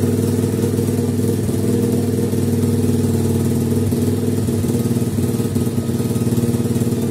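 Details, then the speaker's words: 50cc two-stroke pitbike after carburetor cleaning, mixture screw turned a further 90 degrees and fine-tuned to the best setting. Steady, even idle with a smooth low putter, no misses or hunting; normal idle. "Die perfekte Gemischschraube-Einstellung gefunden. Das war jetzt wirklich eigentlich ziemlich einfach."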